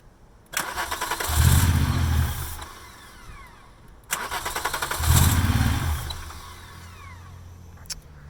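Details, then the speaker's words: VW VR6 swap car started with clutch switch cable out and a vacuum line plugged in: cranks, catches, runs rough a second or two then dies, twice; suspected low fuel not reaching engine at the car's angle, unconfirmed. "So we're at the gas station right now because we think that the problem is the car, the angle it's at, and the amount of fuel that's in there. It's not reaching the engine properly."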